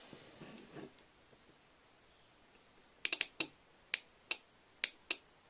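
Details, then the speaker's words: 24 V relay for a LiFePO4 solar battery and inverter setup, with about 25 V switched on and off across coil pins 85/86: sharp, dry clicks, about eight in three seconds, quiet between; the relay closes normally. "Bon, ce qu'on peut tester tout de suite, c'est est-ce qu'on entend bien le relais se fermer quand on applique 25 volts aux pattes."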